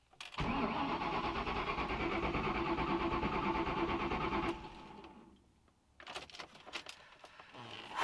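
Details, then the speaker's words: Engine cranked with the crank position sensor unplugged to build oil pressure, clutch in: about four seconds of fast, even, strong cranking with no dragging; normal cranking. "that [ __ ] sounds good it sounds [ __ ] good dude it's a that's a good strong crank"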